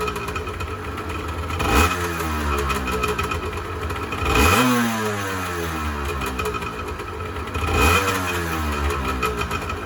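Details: 1986 Honda NS400R 400cc two-stroke triple, first start after 11 months sitting: three throttle blips, each rising and falling cleanly back to a steady burbling idle; healthy, though the oil light stays on (owner suspects the oil tank level-sensor connection).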